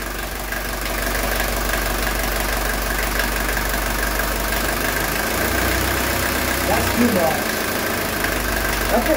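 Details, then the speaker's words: 1982 Mercedes 240D diesel after valve adjustment and idle raised a couple hundred rpm: steady even diesel clatter at idle, no stumble, hunting or misfire, no engine vibration. "is nice so look how smooth that's idling you guys see there's no not even a vibration on the engine"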